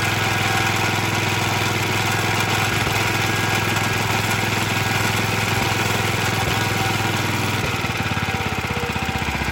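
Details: 1954-55 Suffolk Iron Foundry Model 1A single-cylinder engine, cold, running on substitute carburetor: steady beat about two and a half firings per second with loose rattle; rattly running, original carb needs cleaning.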